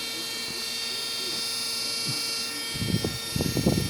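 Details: Washing machine universal motor removed and bench-tested on a 12V DC battery, because the machine won't rotate at low speed (board or motor in doubt): a faint steady high whine with no knocking or scraping, then handling clunks, normal low-speed running.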